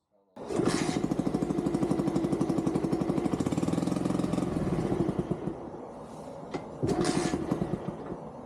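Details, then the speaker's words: 20-year-old Dax with new carburetor fitted and exhaust removed: open-pipe single rattles at loose uneven idle, dies, catches again; idles only and stalls instantly when throttle is touched. "You can hear how I finally got it running, but it only idled. Touching the throttle killed the bike instantly."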